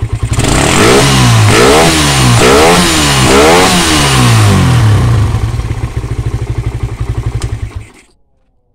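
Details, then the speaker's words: Suzuki Satria FU that ran but would not take throttle, running with the regulator/rectifier (kiprok) unplugged: revs up and down cleanly several times, then settles to an even idle; fault traced to the kiprok. "tanpa tiprok itu bisa normal ya bisa digas enak berarti permasalahannya ada di kiprok"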